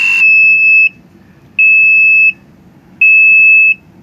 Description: Battery problem notification